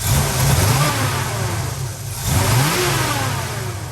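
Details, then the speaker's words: Carbureted Chevrolet Z28, engine revved with throttle blips. Fine when revved slowly, but on quick jabs the revs climb, sag and stumble. Owner suspects fuel delivery, the carburetor or ignition timing. "see if you go slow it does fine but if you go runs out of steam or something i don't think it's getting fuel"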